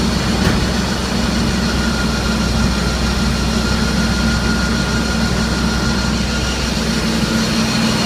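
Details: Steady running engine with a constant low drone and a faint thin whistle over it; unusual engine noise, cause unclear.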